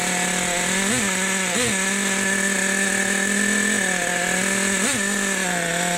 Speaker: nice listen to that idle boys fat we got it fat we got it fat